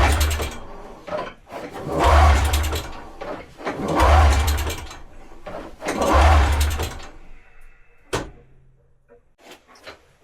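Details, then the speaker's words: Inherited snowmobile with the battery fitted: three slow, dragging cranking groans that labour and die away without a start. The battery is too weak. "But as you heard, it kind of did something when I put the battery in, but it's obviously not lov"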